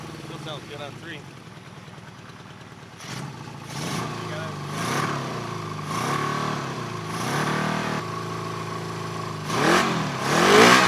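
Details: 1974 Honda CB350F four-cylinder, sat for years: blipping revs with a lumpy uneven beat; misfire, running on three cylinders, number three carb not getting fuel, spark present on all four, sprayed fluid ignites instantly.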